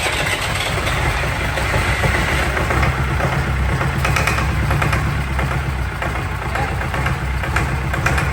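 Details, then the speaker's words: Fire-damaged diesel in 1989 Sambron D2000 telehandler after wiring-fault fire, running at about half throttle; steady, even diesel rumble with no knocks, misses or hunting; engine sounds healthy and worth salvaging. "put back the engine sounds lovely I know I'm pleased with that can't believe it actually runs all right"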